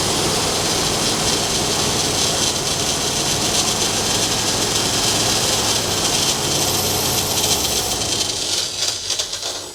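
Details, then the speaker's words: 1966 Ford Galaxie 500 being revived after new plugs and wires, running poorly on poured-in fuel: a loud, steady hiss over the running engine for several seconds, then it fades. Source unknown. "What the actual heck was that noise? What in the devil?"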